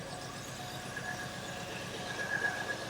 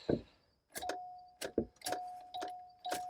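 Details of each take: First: Cadillac Allante flooded in Hurricane Ian, on its first crank after the flood: uneven, stumbling idle with irregular low pulses about four a second, not yet clearing; owner expects it to clear once fuel gets through the fuel system. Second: Flood-damaged Cadillac Allante from Hurricane Ian: clicks and key rattle, then a steady low electric hum at key-on as the fuel pump primes normally; no security light shown.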